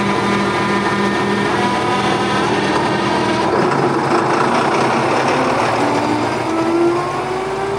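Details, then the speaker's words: Tractor with new engine running a grain vac via PTO, fan spinning to suck grain from bins: engine pulls steadily while fan whine holds and rises slightly; vac spinning up fast and running healthy under load. "وہ گھوم رہی ہے۔ اوہ ہاں، یہ بہت تیزی سے آگے بڑھ رہا ہے۔ یہ چیز حیوان ہے۔"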